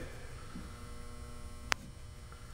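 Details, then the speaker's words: Steady low mains-pitch buzz and one sharp click from a barn-found frequency counter after power-on; buzzing, power supply doesn't sound healthy, caps suspected, cause unclear. "noises yeah I hear buzzing yeah does it sound like a healthy power supply doesn't know"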